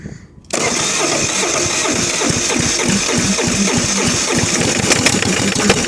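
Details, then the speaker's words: Kohler KD425-2 diesel, cold start: it cranks, then catches roughly, firing unevenly and stumbling without settling. Hard start from lost fuel prime; the owner suspects an air leak, and a fuel hose is getting cracked. "Losing fuel, man. Come on, man. Prime it. Yeah, I gotta fix that."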